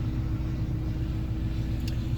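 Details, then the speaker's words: 2002 Ford Explorer 4.6L timing-chain V8 4x4 with Flowmaster 44 exhaust, idling just after its first start in over a year on old fuel. It started right away and has good oil pressure. A steady, even rumble with no knocks, ticks or misses; healthy. "You start hearing some rattles out of these things, and yeah, not usually a good sign, but she went right away. It's got good oil pressure."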